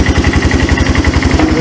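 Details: Yamaha 250cc ATV, abandoned and said to have run when parked; even quick single-cylinder thumping about seven beats a second, steady and smooth with no misses, a healthy idle.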